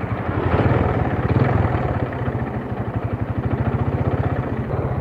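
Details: Vega R motorcycle with lost power and rough running: a steady tek-tek tap over the exhaust beat while riding, which the mechanic says stays unchanged in character; a worn connecting rod knock.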